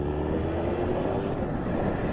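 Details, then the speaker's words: Suzuki 1200 Bandit, warmed up, after a faulty fuel tap was found and the tap set to on: smooth, even idle with no misses, surges or rattles; owner notes it could be an intermittent fault. "Well, she sounds good though. That's very smooth."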